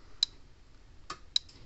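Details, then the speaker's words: Red Snap'r 25-mile fence energizer, just repaired on the bench: sharp bright ticks about a second apart, the steady pulse of a working energizer. "so let's plug it in see if it goes to clicking all right you hear it click in there"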